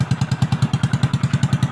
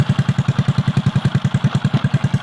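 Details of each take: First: Honda XRM/Wave/Dash single-cylinder motorcycle, kickstarted after repair of flood-water damage: rust, and a bearing that had eaten into its set. Even thumping at about nine beats a second, loud because the exhaust pipe is cut; it runs steady and healthy. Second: Honda XRM/Wave/Dash single, kickstarted after repair of flood-water damage. Loud, blunt exhaust popping in a steady fast idle rhythm, about 200 beats a minute; the noise comes only from the cut-off exhaust pipe.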